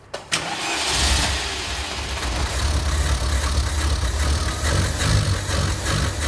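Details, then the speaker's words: Engine parked over two years, running before carburetor cleaning: note wavers and stumbles unevenly instead of holding a steady idle, from a gummed-up carburetor; cleaning planned with spray fed directly into the carburetor. "vocês estão vendo aí a imagem de um de um carro com defeito funcionando com defeito"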